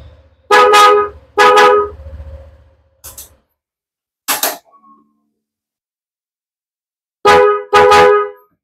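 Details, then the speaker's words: Honda ADV 150/160 paired snail horns after repair: several short, loud blasts with both tones sounding together, each starting and stopping cleanly; both horns work normally. "Mantap ya sekarang sudah stereo kedengarannya"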